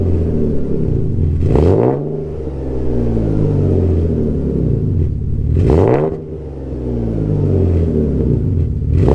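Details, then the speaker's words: Alfa GTV 3.0 V6 first started in 18 months after refitting Wizard stainless downpipes and a Cybox stainless cat-back with no cat and largest silencer deleted. Slightly warmed. Deep, loud exhaust swings up cleanly on three blips and settles back each time, no misfire or rattle: healthy. "this still sounds deep very loud but still very deep and i'm just chuffed a bit with it"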